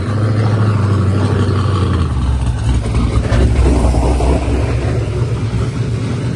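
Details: Boosted Corvette Z06 LS on a pull with wastegate issue: hard pull settles into a flat steady drone holding one RPM once it clicks into high gear; boost safety in the tune cutting power, to be removed.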